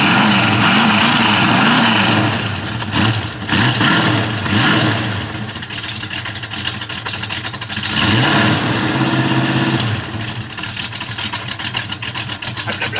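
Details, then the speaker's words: 1971 Ford Mustang Mach 1 clone V8, recorded at the rear by the exhaust; a few throttle blips then steady, even idle pulse, deep burbly sound, healthy. "now it sounds pretty awesome when it's idle but that's about"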